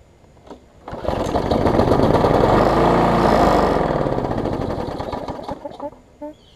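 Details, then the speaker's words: Bolens 21-inch mower, Briggs & Stratton 500 series, built April 2012, smoking: revs briefly, runs rough with an uneven shaking beat, then dies back; vibration from bent shaft and internal engine damage, judged too far gone. "you'll probably saw it vibrate there too I said it does vibrate some it is still usable barely"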